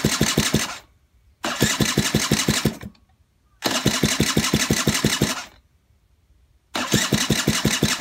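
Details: Honda Just motorcycle sat 35 years, running poorly, getting a second carburetor cleaning: short bursts of quick, uneven firing pulses that repeatedly die out; engine won't keep running, rough running, cause suspected carburetor, not confirmed.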